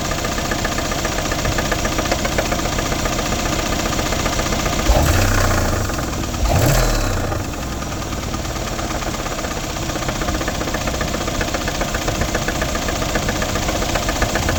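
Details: 2012 Mercedes CLS550 at idle, no check engine light: steady knock about four a second that tracks engine speed, seemingly from the passenger side of the engine; cause unknown.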